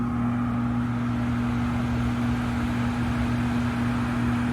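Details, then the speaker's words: 2009 Trane gas furnace, inducer jumped and water cleared from the pressure switch: the blower runs with a constant low hum and even airflow, no squeal. The tech concludes a new control board will fix it. "okay so obviously a board will fix this furnace we've jumped out the inducer got it going got the water out of the pressure switch everything is fired up blowers going and everything"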